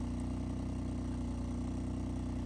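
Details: Peugeot 406 Coupé V6, newly back on the road after passing its MOT, rusty exhaust: smooth, even low burble at idle with a steady firing beat, no ticks or misfires; healthy.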